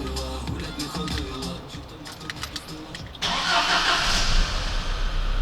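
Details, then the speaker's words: 1998 Volkswagen Passat B5, 480,000 km, first start after starter rebuild (worn brushes, bushings and rotor, cleaned, dirty cables): brisk even cranking about four beats a second, engine catches; starter now spins much livelier, normal. "але звук стартера помінявся набагато кращу сторону відчувається жива енергія"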